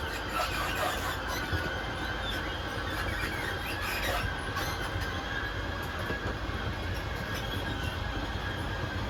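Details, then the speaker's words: 2022 Wildwood 28VBXL travel trailer auto-squaring slide-out extending: steady whirring drone with a thin high whine; normal operation. "This is an auto squaring slide, so once it's out all the way, you'll just kind of hear the motors whine a couple of times. They'll square themselves up and then they'll turn themselves off."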